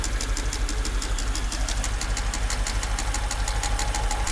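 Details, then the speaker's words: Mercedes S55 AMG V8 bought cheap at salvage, after its first drive, microphone held close to the engine: sharp metallic knocks about three per second over the low idle, following engine speed, traced to cylinders one and two; engine knock. "yeah this is it right here cylinder one two so yeah i don't want to run the engine too long with this sounding like that"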